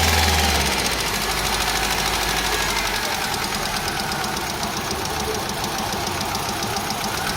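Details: Car engine at idle: uneven, stumbling beat with a regular tick about three times a second, one cylinder missing; engine misfire, cause unconfirmed.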